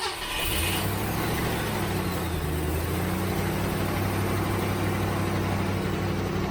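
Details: 1967 Ford Mustang carbureted V8 sitting for months, started after adding about 2 gallons of fuel on an 85°F day: settles into a steady, even low burble with no sputter; the running problem was fuel starvation, now normal.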